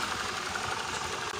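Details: Honda Vario 110 CVT after replacing the secondary pulley bearings and refitting the clutch and primary pulley: a smooth, steady drivetrain hum with no grinding, where it previously sounded rough; normal CVT running.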